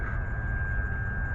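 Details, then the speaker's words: 2004-2010 BMW 5 Series electric coolant pump running with ignition on, engine off, while refilling coolant after upper radiator hose replacement: steady smooth high-pitched whir over low hum, no rattles or surging; normal. "That's the actual pump that's going to go ahead and it's turning on."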